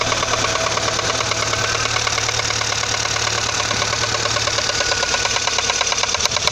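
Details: Audi 80 engine: steady idle with regular metallic tapping about three times a second over the engine; engine knock.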